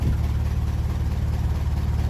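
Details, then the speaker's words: 1957 Ferguson 35 TVO tractor after adjusting the lever to touch the throttle rod: slow even low-pitched tick-over with regular firing pulses; idle back down about as low as wanted, temperature not rising. "the lower take over that is about as low I I would like it to be so we're not lifting on the temperature"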